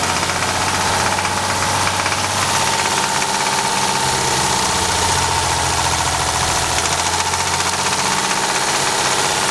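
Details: VR6 24V engine at idle: dull, repeating bottom-end knock under a thin whine, diagnosed as rod knock by pulling ignition coils one by one to see whether the knock goes away.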